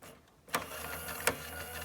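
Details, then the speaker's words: 1973 Aurora Skittle Bingo toy after repair: small motor whirring with a sharp click about every 0.7 seconds, once per belt turn, from a divot worn into the drive belt by decades of sitting against the motor shaft. "that clicking sound is because of this divot in the kind of the belt r here that divot formed when it was sitting against the shaft of the motor for again decades so every time it goes around it kind of hits it and it clicks"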